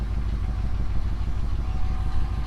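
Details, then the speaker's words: Older 2WD Chevrolet 3500 Silverado dually with about 200,000 miles, hood up at idle: an even low V8 thump with a faint rattle from the exhaust, which the owner thinks is loose on one side; otherwise runs well with good oil pressure. "it does have a little bit of an exhaust rattle i think that it's loose on one side you can kind of hear it rattling back there"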